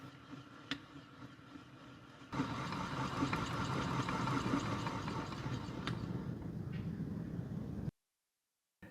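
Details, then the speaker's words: Hero Honda CD100 engine on the bench with the clutch cover off, turned over in gear with the output shaft spinning: an uneven metallic chatter about four a second. The clutch plates have cut grooves into the clutch basket housing; the whole clutch assembly and basket need replacing. "देखिए housing किस तरह से clutch plate लग के cut गई है। यह आवाज सुनिए। पूरा क्लच असेंबली नया लगेगा और यह क्लच बास्केट भी।"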